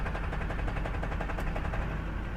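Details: 2005 Duramax with Allison 1000 transmission, 299K miles, idling in drive: a rapid, steady, metallic rattling knock from the bellhousing over the deep diesel idle. Cracked flexplate, replaced.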